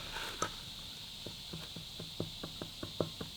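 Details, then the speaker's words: Harley WLA engine, crank rocked by hand, suspected seized: sharp uneven clunks from worn crankshaft bearings letting the rod wobble with excessive side play; damage will only worsen. "It's all right if it slides across in like a linear motion, but if it's actually wobbling like that, Yeah. it's done the bearings."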